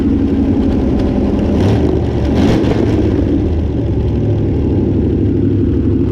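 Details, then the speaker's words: Barn-find 327 V8, sitting since the early 1990s, on a run stand with its original fuel pump, at idle: loud steady rumble with a faint busy tick; some exhaust leak, and valve train noise is suspected. "a little bit of an exhaust leak in here but uh I think it's more than that I think I am feeling a little hearing a little bit of valve train noise but for an engine that's been sitting since the early 90s in a barn I think runs pretty darn good"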